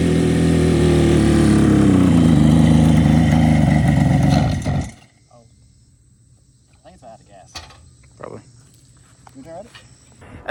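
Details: Kawasaki S3 400 two-stroke triple barn find: buzzy, loud, even run whose pitch sags, then cuts out after five seconds; engine stalling.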